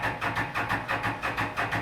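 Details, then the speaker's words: 2016 Can-Am Defender HD10 XT 60-degree V-twin, 1035 miles, sat abandoned about five years: steady cranking, about six even compression pulses a second, never catches; suspected fuel, later found stuck injectors; crank no start. "it sounds like it's got compression again it's a 1035 mile rig so what we're going to go with is we think it's fuel it's you know electric fuel pumps it's been sitting a long time"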